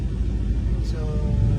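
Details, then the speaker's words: Honda CR-V exhaust after muffler resonator repair: a soft, steady low rumble from the tailpipe with no drone or rattle. The exhaust is quiet again, back to normal. "So ayan, sobrang tahimik na ng CRV, nahinang na yung muffler natin."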